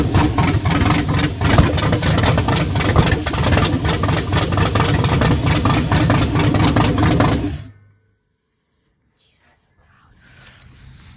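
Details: LS V8 swap, initial test fire on rough wiring with fuel pump in a bucket, 40 psi oil pressure: deep, lumpy idle with steady beat of a couple of pulses a second, then clean shutoff; healthy.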